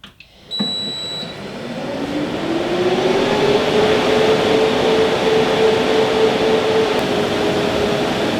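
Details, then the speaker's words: New rack server with stock fans, about 65–66 dB in basement server room versus 48 dB room level: loud steady fan rush rising as fans spin up; loud stock fans before Noctua NF-A12x25 swap. "I know it's super loud and crazy annoying 65 to 66 decibels definitely a lot higher than I want to deal with in my server room"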